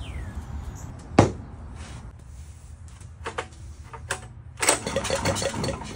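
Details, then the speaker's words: Discarded Wacker 5600 watt generator with Honda engine, missing carburetor bolts and ripped fuel line, run on starting fluid with borrowed pull start: single pop, then ragged firing about a second before dying; fires briefly then dies. "okay we got it to to run for a second"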